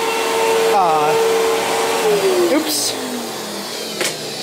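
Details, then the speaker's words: 1999 Fantom Fury vacuum: motor whine wavers and swoops downward unevenly at startup instead of steady pitch, also sounds wrong winding down; cause unknown. "cuz it really doesn't sound right when you first turn it"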